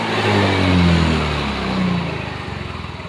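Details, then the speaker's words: Yamaha Mio M3 fuel-injected scooter that used to stall when the throttle was opened. After charging the battery it revs cleanly and settles to a steady idle without stalling; the fault was traced to the battery. "digas nah motornya sudah mau digas hidupnya juga sudah normal tidak mati-mati lagi"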